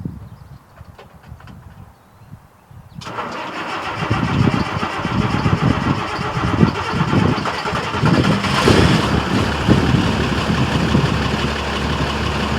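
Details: Diesel truck cold start (engine uncertain, either the International DT466 or the F350 6.9 IDI): quiet lead-in, then fires and settles straight into a steady, even idle with a deep low rumble; normal cold start and idle.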